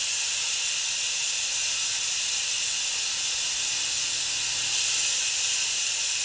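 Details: Audi C7 A6/S6/A7/S7/RS7 air suspension with aftermarket dumpbox just installed: steady loud hiss of air venting continuously, no motor underneath, pressure bleeding off evenly as the car lowers while the button is held; normal venting.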